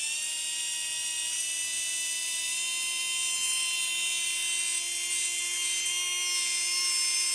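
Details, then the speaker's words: Tamiya Dynatech 01R motor free-running on a manual speed controller while the timing is adjusted: steady high whine, pitch barely rising; rpm only increases over roughly the last three degrees of timing. "thing and it's like the last three degrees when you get when he turning up to about like roughly the last three degrees when he can hear the RPM increasing"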